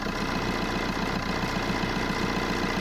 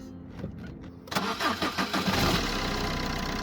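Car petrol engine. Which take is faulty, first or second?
first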